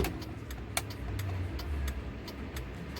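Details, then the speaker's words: 1995 Mitsubishi Eclipse at idle after DIY tail light wiring, left blinker on: crisp, regular clicks about twice a second over a quiet idling engine; normal turn signal relay clicking. "So I'm gonna turn on the left blinker. You can hear it blinking or hear it clicking."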